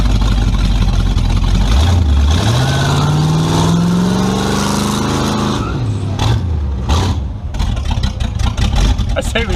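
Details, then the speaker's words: Tunnel-ram 350 V8 with two Edelbrock 600 cfm carburetors (1405/1406), final test after fixing the stumble: strong, clean pull with the note climbing steadily and smoothly, no stumble. Running right under load, much better. "whoa definitely better oh yeah much better"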